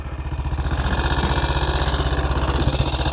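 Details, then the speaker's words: 1959 BSA single at seven degrees C idling unevenly with stumbles and sharp pops; ignition key fell halfway out of the lock, possibly cutting ignition intermittently; misfire and backfire from ignition cut-out. "Got a hell of a backfire. So, that was backfiring, and I thought, oh God, Dave, have you put diesel in it? But no, the ignition key had fallen out of the ignition lock, and it was halfway between ignition on and ignition off, and I reckon it was tripping out,"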